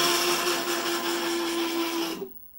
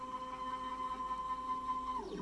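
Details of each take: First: WorkBee 1050 CNC Y-axis moving in one direction, only in one section of travel: harsh, raspy grinding over a steady motor tone that stops with the motion; cured by oiling the lead screws with 3-in-1 oil. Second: Workbee 1050 CNC Y-axis (24 V supply) moving in the good direction: steady even motor hum, clean tone, quick falling pitch as it stops; grinding in the other direction later cured by oiling the lead screws.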